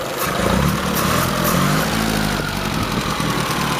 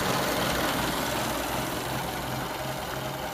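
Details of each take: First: 1923 Fiat 501 with new exhaust fitted, running but not yet warm: old engine idles evenly with a light, busy rattle on top; valve train rattle at idle, final valve adjustment planned. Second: Restored 1923 Fiat 501, radiator newly remounted: slow, regular idle beat with even rhythm and no knock or misfire, running really well.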